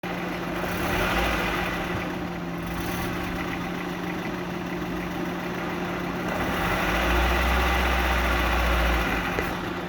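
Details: Gearbox intermediate (counter) shaft idling after gearbox repair: a steady, even hum with a smooth low drone and no knocking, whining or grinding; it runs quietly and sounds healthy.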